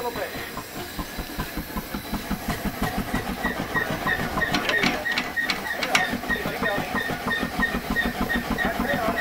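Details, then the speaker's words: 1927 A. B. Farquhar overtype steam engine, ex-sawmill, buried 1940 and restored for steam: steady rhythmic clatter, about three knocks a second, as the engine coasts off steam; the slide valve lifts off the port face and rattles, which is normal. "You hear that noise? How it makes that clattering noise? When you come off the steam, the slide valve comes off the port face and it rattles."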